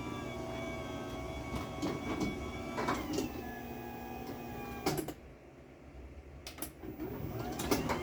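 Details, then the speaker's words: Chamberlain B970 DC garage door opener on a light mini door with no load, so it doesn't struggle: a thin whine rising and falling in pitch as the door moves, with rattles and clicks; normal, just very whiny DC motor. "So yeah, it's really whiny, and I really am not a big fan of the way it sounds. I just don't like whiny DC motors."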